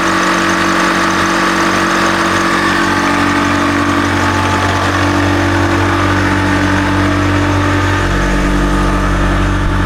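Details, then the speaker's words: Nissan GU Patrol ZD30 diesel fitted with Eaton M90 supercharger, idling before warm-up, steady with a thin constant belt squeal; owner suspects a loose belt needing tightening, unsure if it's the supercharger belt. "I think we might have to tighten the belt. I can hear it squealing. I can hear the... Actually, I don't know if it's a supercharger belt or not, but I can hear a belt just squeaking."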